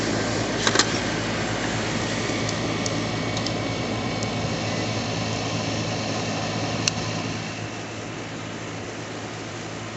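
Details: Trane heat pump compressor restarted after a hard start kit (relay and start capacitor) was installed: steady low hum with fan rush, no chatter, grinding or stalling; runs smoothly and settles.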